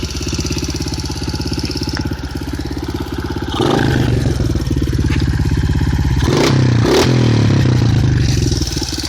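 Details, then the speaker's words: 2007 Honda CRF70F pit bike with 88cc big bore kit, Uni air filter, clutch kit and FMF Powercore 4 exhaust: crisp, even single-cylinder popping at idle that rises cleanly with each throttle blip; loud exhaust, normal healthy engine. "Definitely a nice sound out of that FMF Powercore 4. It's a great bike for what it is."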